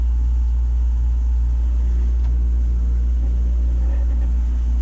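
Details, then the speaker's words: Takagi T-H3-DV-N tankless water heater, first startup, unit firing with pump running and incoming water near 100 degrees: deep, steady drone, no clicks or knocks. Low vibration hum growing loud, later almost gone; cause not identified. "only thing that concerns me a little bit is how loud this is getting she's got a low hum"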